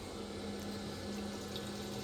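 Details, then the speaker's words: New fuel pump (255) in LS-swapped Chevelle with Holley Dominator EFI, triggered to drain the tank: steady quiet electric hum under gushing fuel, about four gallons out in under a minute; pump running and flowing strongly. "so I triggered the outlet and I got four gall gallons of gas out of it roughly in under a minute"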